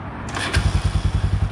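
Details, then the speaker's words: Dirt bike starting: a couple of clunks, then the engine catches and runs at an even, quick beat; starter still acting oddly, and the running fix was opening the carburetor fuel screw slightly richer. "The starter's still doing weird things because they just do, but I got it running, man. I'm super stoked."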